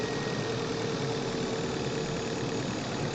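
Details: Manual car on a test drive with engine-bay microphone, engine pulling hard under acceleration: light, fast metallic rattle over the roar; engine knocking/pinging when accelerating, fuel knock suspected, not confirmed.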